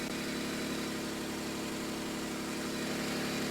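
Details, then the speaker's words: Nissan Z31 project, first start before fuel tank install: steady, even idle hum with no misses, knocks or ticks; engine settles in smoothly and sounds healthy. "Oh, she runs. I'm excited. And that's actually pretty smooth."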